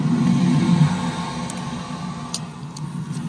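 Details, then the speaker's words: Lochinvar Noble boiler after full teardown and burner cleaning: low rumble on ignition, then a quieter steady roar with no popping or flame-outs; flame sense 10.9 µA (must stay above 8), high and low fire combustion readings good. "see our flame we're running and we'll get our Testo ready to do our combustion test"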